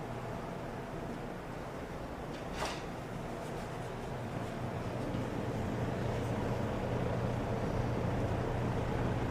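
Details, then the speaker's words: Kenmore Roll-A-Matic box fan, 23 in, on low speed: smooth steady whoosh with soft low hum and even blade beat, no rattles or scraping; fan running normally on low. "air through the front here. And that's on the low speed."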